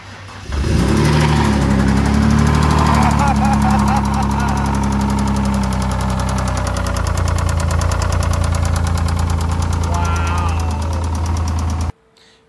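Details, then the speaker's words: Failed Ford 3.0L V6 Duratec on an engine stand: loud, fast hard knocking about four per second over rough running, sounding like a rod coming through; top-end knock from a loose cam cap bolt. "crazy sound right I mean it sounds like the engines ready to come apart"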